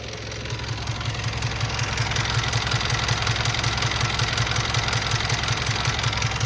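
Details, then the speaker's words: Mitsubishi L200 diesel after major service and test drive: smooth idle with light regular tick about 160 a minute; owner suspects valve/tappet tapping, unconfirmed. "I'm not 100% convinced about those there's like I'm sure there's a tapping noise coming from this"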